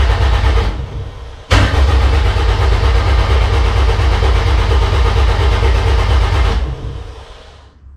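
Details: K20-swapped DC2 Integra racecar, first-start prep: ECU-controlled 5-second crank cycle with no firing to build oil pressure in a likely dry oil pump; steady, even starter churn of about four beats a second, compression evenly matched, clean cranking.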